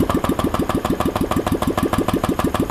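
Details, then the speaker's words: Honda Vario 125 scooter after camshaft replacement and full engine teardown, cover not yet refitted: quick, even putter at idle with no metallic tapping, no longer noisy as when the cam was fitted without opening the engine; clean healthy idle. "Oke teman-teman akhirnya mulus ya suaranya enggak berisik kayak waktu kemarin waktu pas ditodong sekarang mah udah halus tu"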